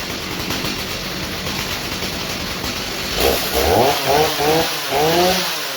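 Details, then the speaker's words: 2003 Stihl MS 290 Farm Boss chainsaw, 56.5cc, rebuilt from parts after cleaning clutch and air housing, just started: steady high buzzing run with quick clean throttle blips; normal running and revving. "Hopefully it sputters. Sounds good to me."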